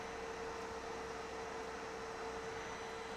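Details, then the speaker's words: Carlsbro Powerline 300 Pro amplifier after replacing its noisy cooling fan, during load test: soft even whirr with one faint steady tone, no rattle, ticking or bearing growl; new fan much quieter; normal fan running. "We got a nice new fan, which is very effective and much quieter."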